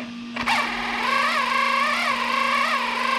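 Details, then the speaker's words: 3D-printed RC outboard with greased gears, running in with low-speed throttle sweeps of 0–10%: light, even whirring gear whine rising and dipping with throttle, getting smoother and low-speed RPM stability improving. "and I can already I can already tell this is getting smoother from listening to the frequency that making and look at the low speed RPM stability is getting better"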